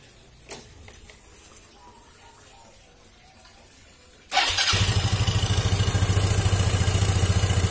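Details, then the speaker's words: Yamaha Xeon GT 125 after cleaning clogged ISC and refitting throttle body, not reset with diagnostic tool: starter catches, engine settles into fast, even high idle, higher than before cleaning. "biasanya dibersihkan itu rpm nya langsung tinggi tidak seperti tadi"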